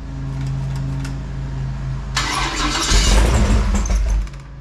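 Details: Fresh 496 big-block Chevy V8 on a run stand, break-in, cool day, after running out of gas: steady starter cranking never settles into idle before a brief loud burst; carburetor not primed, throttle needed working. Crank, no start.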